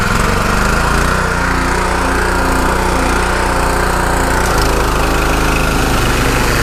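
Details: Pressure washer with rebuilt Annovi Reverberi XMV3G25D pump (new front oil seal and bearings), adjustable pressure regulator, test run after rebuild: steady small-engine drone, even firing and pump hum, no knocking or surging; running healthy.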